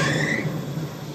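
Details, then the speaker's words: 1976 Dodge Cruise Air RV, engine blipped to chase a noise: a high steady squeal over the engine that fades as revs drop. Owner suspects a slipping drive belt. "what is that sounds to me like a belt wheil obviously obviously obviously we made it A4 Mile and we've got a belt that is just toering"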